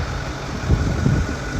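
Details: Ford Power Stroke diesel truck that would not start, solenoid rapid-firing with batteries at 11.3 V dropping to 6.3 V; after cleaning corroded terminals and a jump start, steady even low diesel idle rumble: normal idle.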